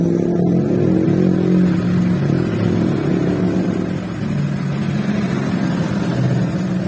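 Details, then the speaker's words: Honda Vario 150 scooter after repair, radiator refilled, stored unused over 11 years: steady, even, very smooth idle, back to normal from its earlier rough, cobra-like hissing; no hiss, knock or rattle. "Oke ini udah hidup punya temen biarkan Samsam dulu nih nantang nih sangat halus sekali temen-temen sangat halus normal kembali"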